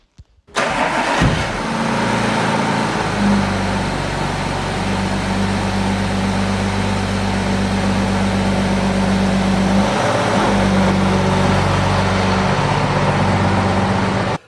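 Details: Audi A7 3.0 TDI with brand new engine and semi-new gearbox, new air filter fitted, fuel nearly empty: quick crank, catches cleanly and settles into a steady, even idle with no knocks, misses or hunting.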